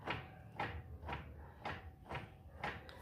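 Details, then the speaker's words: 2005 Fiat Siena HLX 1.8, in first gear: rocking the right front wheel by hand gives six hollow clunks about twice a second from the inner CV joint toward the gearbox; owner is unsure whether this is play or normal. "Faz esse movimento e esse barulhinho aqui na na homocinética aqui, ó."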